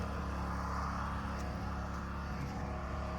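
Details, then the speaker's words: Engine running after a thicker-than-factory spring was fitted: steady, even low drone with no knocks, misses or rattles; owner says it sounds like it's running almost too strong. "running better than good. That sounds like it's It almost sounds like it's running too strong."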